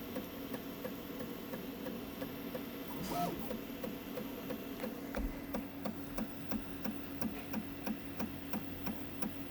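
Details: Prusa Mini 3D printer printing with a sharp clicking about three times a second over the steady motor hum; the clicks recur during printing at unknown cause.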